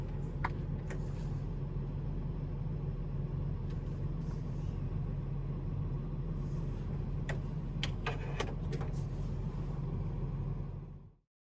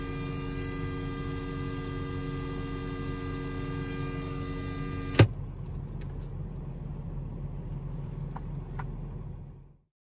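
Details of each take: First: Car radio playing from phone via USB-C adapter through a ground loop noise isolator into the aux port: steady low cabin rumble with a few light clicks, the buzzing gone. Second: Car radio on an auxiliary-cable connection to a phone: a steady electrical ground-loop buzz with a high whine over engine rumble, ending with a click when the aux is unplugged.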